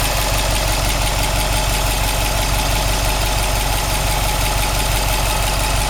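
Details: Subaru WRX STI after engine replacement, new engine 800 km, all original parts, no tuning, 5W40 oil, 2 bar oil pressure, 85°C oil, 21°C air: steady idle with regular knock about three per second; engine noise, cause unknown.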